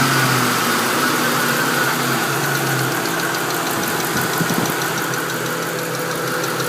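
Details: 2001 Mustang GT V8 at warm idle: light quick ticking about three per second, only when warmed up, loudest underneath by the manifold, owner suspects driver side head; valvetrain or exhaust leak, unconfirmed.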